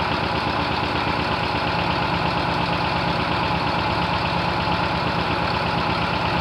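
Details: 1972 VW bus running for the first time in nearly 30 years, last registered 1990: steady, even chuffing idle at about two beats a second with no knocks or misses, running smoothly.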